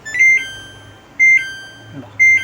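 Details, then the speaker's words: Samsung top-load washing machine, 13-switch PCB, after repair, power on showing 49: three short clear high beeps on pressing start; machine now starts, previously only beeped. "സ്റ്റാർട്ടായി. നേരത്തെ ഇത് സ്റ്റാർട്ടാവില്ലായിരുന്നു. നേരത്തെ നമുക്കിവിടെ നിൽക്കുമ്പോൾ വെറും ഇതേ കണക്കുള്ള sound മാത്രമേ കേൾക്കത്തുള്ളായിരുന്നു."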